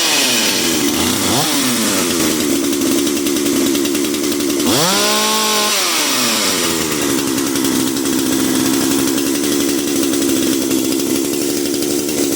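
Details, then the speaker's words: Dolmar PS-510 chainsaw after ignition coil replacement for no spark: steady high idle, then a crisp rev that climbs and drops back cleanly to an even idle; needed a little assistance at first; normal running. "Alright, she fired up. She just needed a little assistance at first. Sounds good though."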